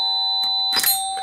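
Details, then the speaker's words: Mains AC musical doorbell: the plunger strikes the lower plate when current flows, then the upper plate on release; plates of different length give the two tones. A clear ringing tone with a sharp strike; a healthy ding-dong chime. "por lo tanto emiten diferentes frecuencias de sonido y concretamente tenemos el ding dong típico ding dong"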